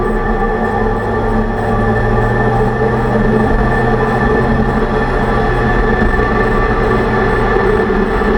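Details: 2006 Range Rover Sport differential after rebuild for vibration and howling, all new bearings and races; steady low hum with faint constant whine over road noise while driving. Owner suspects pinion preload set too high at 35 in-lbs.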